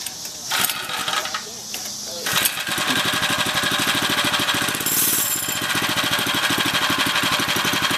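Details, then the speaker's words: Homemade budget motorized bicycle, small engine: catches and buzzes with a fast, rattly metallic chatter over its firing; the centrifugal clutch making a metal-on-metal sound. "That noise is the centrifugal clutch. It kind of makes a metal on metal sound."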